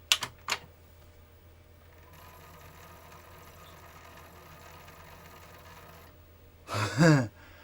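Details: PlayStation 1 SCPH-9002 after a laser replacement, at power-up: sharp clicks, a steady whir and a harsh rattling burst; the drive is still loud, possibly a power issue, though it eventually recognises the disc.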